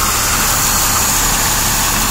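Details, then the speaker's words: Engine after recent work, idling while checked with carb spray; steady high hiss over a quiet even idle from a dry-rotted, cracked vacuum hose near the intake; vacuum leak. "right here around this piece oh it's cracked I didn't see that yeah there's my problem you can probably hear that hissing"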